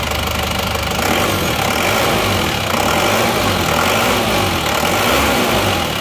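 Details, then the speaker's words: Isuzu Panther diesel after refitting genuine pistons in place of imitation ones: even clatter with steady rhythm, no heavy knock or slap, far smoother than before; normal idle. "jadi ternyata suaranya suaranya sudah halus bagus perbedaannya sudah sangat jauh ya antara seer yang asli dan seer yang KW"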